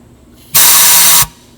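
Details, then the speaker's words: Allis Chalmers 190XT Power Director, air applied to the low-range clutch pack with the cover off: a sharp hiss lasting under a second that rushes straight through; clutch pack not sealing, air also exits the high side, owner suspects the shaft sealing rings. "it just sounds like it's bypassing. It's not sealed, so I don't know if it's in the sealing rings that's on the shaft, or if it goes on down in there and does something."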